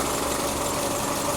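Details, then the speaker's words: 1999 Subaru Forester S 2.5L EJ25 SOHC after head gasket replacement, warm idle with cooling fans cycling on and off and temperature gauge holding a little under half: quiet, even hum with no ticking, knocking or hiss. Normal idle; owner thinks the old radiator caused the overheating. "right now as you guys can see it the fans turn on and then um you know it'll run for about a minute or two and then i'll start you know shut off"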